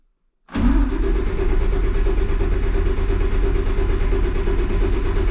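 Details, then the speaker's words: Cummins ISC 8.3 diesel, rail pressure zero after purging at filter head bleeder: heavy, dragging cranking that doesn't catch cleanly; air bubbles seen in clear hose on the suction side of the gear pump, air intrusion slowing rail pressure. "i'm getting here there is air coming through that line bigger than [ __ ] yes there is air in that line that's on the suction side of the gear pump"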